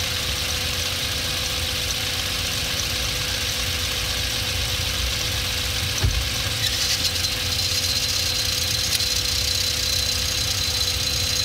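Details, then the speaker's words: 2006 Hyundai Elantra creeping forward in first after being forced into gear, with a thin, high squeal, some rattling and clutch pedal vibration; the clutch damper spring had failed and separated from the clutch. "I try to move a little forward and you can hear that squealing noise that grinding I wouldn't say it's grinding"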